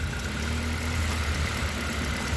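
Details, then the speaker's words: Honda Accord CB7 G23 engine with replacement OBD2 injectors, idle: steady low idle unchanged when number three unplugged, engine wants to die when four unplugged; new number three injector bad, dead cylinder; single-cylinder misfire. "we now have one over here that's moved to number three is now gone bad we've got little to no effect pause number four motor wants to die"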